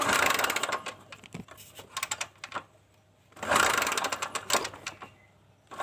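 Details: Kawasaki Kaze motorcycle that has lost ignition: two bursts of kick-starting turn the engine over with quiet gaps and no catch. The stator coil was tested and gives spark.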